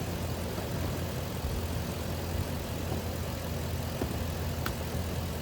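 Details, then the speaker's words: 2004 Lexus GX470 V8 after fixing a high-pitched squeal, blamed on a weak serpentine belt tensioner: steady, even idle with a smooth low hum, no belt squeal or chirp, running properly. "It looks like it's running smooth."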